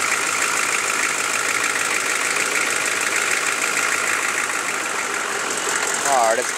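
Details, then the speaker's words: Chevy 6.5L diesel warming up: even diesel idle with a light uneven tick about twice a second over the clatter, appearing as it warms; owner suspects a valve or rocker arm needing adjustment; ticking at idle. "I'm pretty sure it's a valve, but I can't really tell. I mean, that just sounds like a valve to me, but I'm not too sure. Just by it doing it when it warms up, that kind of leads me to make it be a valve."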